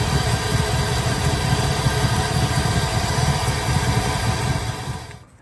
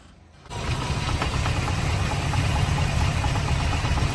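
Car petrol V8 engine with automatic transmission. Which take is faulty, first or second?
second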